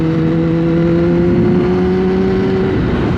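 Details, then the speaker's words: Kawasaki ZX10-R sport bike ridden again after its battery had been removed and charged, on a neighborhood lap: clean, steady engine note pulling smoothly through the gears, no knocks or rattles; running healthy. "Yeah, so far everything seems good. Like I said, I'm a little bit nervous about it, but it'll wear off eventually. The bike sounds amazing."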